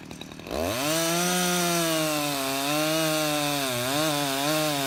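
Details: Husqvarna 353 two-stroke chainsaw, restored with gas line and chain drive work, carburetor just adjusted: starts and holds a strong steady buzz that dips slightly under cutting load and recovers; runs healthy, chain grabby and needing sharpening.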